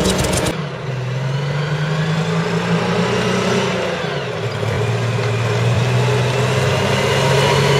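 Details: CVR(T) Striker FV102 Swingfire tank, August 2010: engine runs rough with an uneven, stumbling beat of roughly three to four a second; misfiring badly, caused by a stuck valve; engine later replaced.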